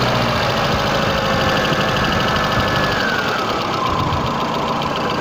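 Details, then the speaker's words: Intermittent light, uneven knocking in a VAZ 21099 petrol engine at idle, tapping not constant but now and then over the steady hum; owner unsure of cause. "необычный стук в двигателе возможно кто-то с этим уже сталкивался кто-то может помочь или подсказать буду рад любому вашему совету сейчас секундочку вот сейчас было слышно ну не всегда not время от времени постукивают"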